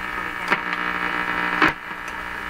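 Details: 1940s Canadian Red Cross tube radio, still fitted with old capacitors, during a rough IF alignment check with an extra ground added. A constant buzzing hum with crackles drowns out the stations; interference, with weak reception traced to bad IF alignment.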